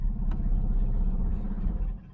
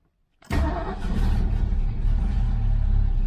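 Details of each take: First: 1970 Mustang Mach 1 running from a temporary fuel can on its second start after a long time sitting: a deep, steady low rumble that stays even, sounding better than the first start. Smooth idle after warm-up. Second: 1970 Ford Mustang Mach 1 V8 on its second start after sitting a long time, with fresh gas in a temporary tank and a battery fitted. It catches and runs unevenly with a lumpy, stumbling beat, cuts out and restarts; rough running, cause unclear.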